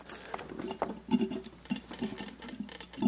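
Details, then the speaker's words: Mercedes CLK55 AMG coolant refill with engine off: lower radiator hose squeezed back and forth, giving irregular gurgling bubbles and occasional soft pops as trapped air burps out and the coolant level drops; air trapped in cooling system. "just keep kind of squeezing it back and forth and you can hear it bubbling and every once in a while you'll get kind of a pop to go through"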